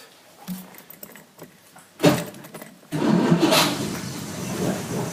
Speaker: starts up. Everything works. It's got a clock. It sort of works. And you can hear it. That's what it sounds like on high idle.